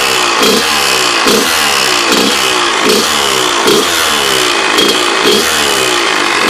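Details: Kawasaki KX100 two-stroke with freshly rebuilt engine, running steadily: buzzy note with rhythmic pulsing thump a bit faster than once a second; owner suspects power valve, cause unknown; strange engine noise.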